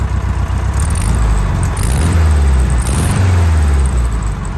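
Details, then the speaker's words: 1973 VW Standard Beetle air-cooled flat-four with a new fuel pump, after punching through the exhaust baffles: smooth, even idle with a deeper, throatier exhaust note than factory; sounds healthy. "Alright guys, so that sounds pretty good."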